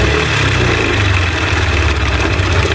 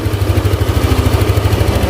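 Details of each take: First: Yamaha Aerox scooter with cylinder head opened, rough mixed noise of ticking and crunching knock over a busy idle that gets harsher when revved; worn camshaft bearings suspected, also check valve clearance, rocker arm bearing and tensioner. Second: Yamaha Aerox scooter after repairing a rough knocking engine noise (camshaft bearings; camshaft had old weld repairs): engine ticks over steadily with an even low pulse, smooth when revved, no knocks or rattles; normal idle.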